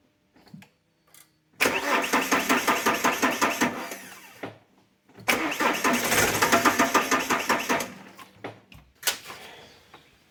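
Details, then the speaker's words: Alfa Romeo 147 1.9 JTD 8-valve diesel, hot engine, code P1320: two long bursts of steady starter cranking at about two to three turns a second, engine never catches; crank no start when hot. "Today we have here a Alfa 147 with a JTD 8 valve engine. This car has a crank no start when hot."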